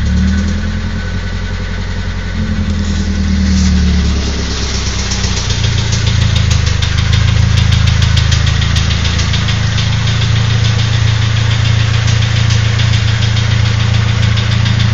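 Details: Nissan SR20DET at low, rough idle: light steady knock about four per second, gone at 1250–1500 rpm; new rocker arms and lifters, fresh Mobil 1 5W30, cams OK, coils tested; owner suspects VCT gear, unconfirmed.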